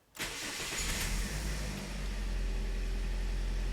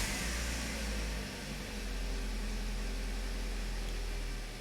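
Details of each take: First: 2009 Toyota Corolla 1.8L with P0302, a flashing check engine light and loss of power, before repair. It catches into a rough, uneven idle with an irregular stumble. Misfire is felt under the hood. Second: 2009 Toyota Corolla 1.8L idling after a new ignition coil was fitted on cylinder 2 to fix code P0302. Smooth, even idle with no stumbles. The misfire is gone and the scan tool shows zero misfire counts. Normal idle.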